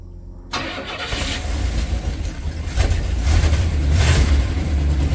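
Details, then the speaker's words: 1967 Cadillac DeVille V8 started after sitting 10–15 years, carburetor likely needing cleaning; catches quickly and settles into a steady idle hitting all eight with light fast clatter from the top end, no smoke; valvetrain ticking at idle. "yeah buddy sounding great little clanky up top but that's that's no problem"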